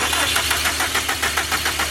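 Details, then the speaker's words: Subaru WRX on a freezing night after rain cranks with quick, even pulses and a little clicking but won't stay running; owner now suspects an electrical problem rather than coils or spark plugs. Cranks but will not stay running. "whoa whoa that's weird like wants to turn on but it's like nope"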